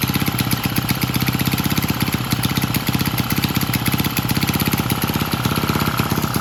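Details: Vintage Lauson single-cylinder engine on a yard-sale jump starter, rope-pull started after transmission fluid was added and left overnight; steady even popping about four per second, no misses. Owner suspects a valve wasn't seating. Normal running.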